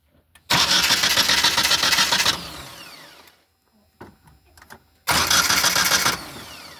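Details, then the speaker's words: 1981-1990 Ford EXP/Escort fitted with an upgraded starter (as used on Taurus/Tempo 3.0 etc.), big cable run to solenoid: brisk cranking under two seconds, catches cleanly, second quick start later; draws far less current than the old starters. "and just like that we're up and running so you can hear it turns kind of quick but uh the big thing is you can tell it draws a lot less HS just standing here"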